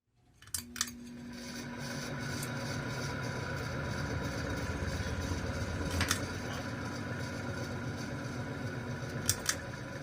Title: Example of bad bearings